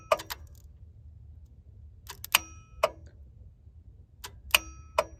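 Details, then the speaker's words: 1990 Ford F-250 7.3 IDI diesel not run in 3 years, cold February morning, key in run position with the engine off: sharp dry clicks in small clusters every couple of seconds. Repeated clicking, source not identified. "Interesting, when you turn this on, it clicks my..."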